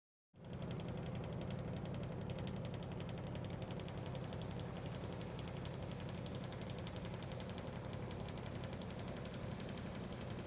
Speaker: as you can hear there is clack clack clack sound does anybody else's do this it does the job still like it's just really loud